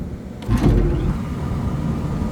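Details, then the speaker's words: Belt-driven exhaust fan after everything was retightened: soft thump at startup, then a low steady hum with no squeal or chirp; quiet and fine for now, though the pulley is worn and notched. "nice and quiet everything's good with that"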